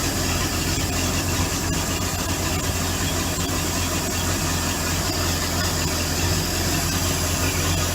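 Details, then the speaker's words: Bayliner boat V8 idling in near-freezing weather during winterizing, running on a water supply while antifreeze is poured into the motor: steady low burble under loud water rush, firing evenly with no stumbles or grinding; healthy idle. "So we got the motor running right now at the bottom, and he's pouring the antifreeze in."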